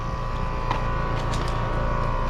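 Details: Air conditioner condenser outdoor unit running normally right after the disconnect is plugged back in, contactor closed on a cooling call (240 V): steady low hum with a constant mid-pitch tone and whirring condenser fan, smooth and even.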